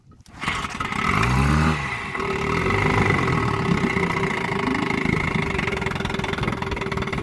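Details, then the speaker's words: 1958 Johnson QD-19 10 hp two-stroke outboard in test barrel, new coils, points and condensers, carburetor untouched: after a few pulls it catches into a quick even burble on both cylinders; runs nicely, slightly rich. "real nice. Just a little rich. I'll lean her up a little."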